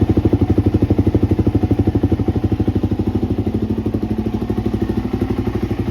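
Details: 2020 Suzuki DRZ400 single-cylinder in for an oil change and inspection, vibration reported above about 50 mph, not started for a few days, weak battery: steady idle about three beats a second, smooth and even, no knock heard, though internal damage is suspected.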